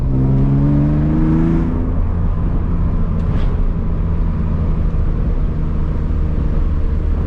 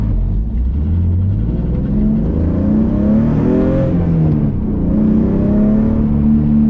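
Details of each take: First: BMW E46 with M52 and new headers, muffler deleted, driven at higher RPM under load: loud raspy droning exhaust, small backfire, runs fine; resonator to be added. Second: BMW E46 M52 with aftermarket headers, muffler delete and a scrap resonator (possibly from an X3) added, driven at higher rpm at low speed: clean rev-up then smooth drop off throttle, no crackle or pops; louder than before but clean exhaust.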